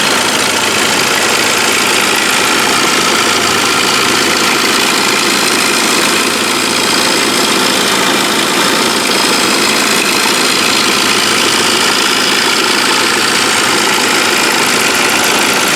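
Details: Saab 9-5 rattle from the pulley area, starting 3-4 minutes after startup and growing louder: a busy, loose metallic rattle at idle. The compressor and water pump were replaced with no change, and the idler pulley and upper timing chain rail are new. The chain does not appear stretched (about 17 mm), but the owner fears it; the cause is unknown.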